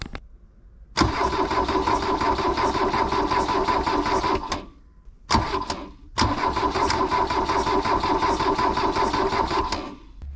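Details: Abandoned 1980s VW Rabbit diesel pickup, injector bleeder cracked to check fuel delivery: two long cranking bursts with even compression beats about three per second, never catches; cranks but won't start.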